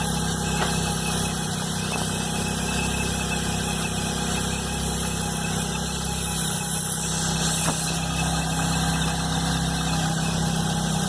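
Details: Chevrolet Blazer at cold idle: low drone with uneven faint tapping that began the morning after timing belt and alternator belt replacement by a mechanic; was quiet right after the job, cause unknown.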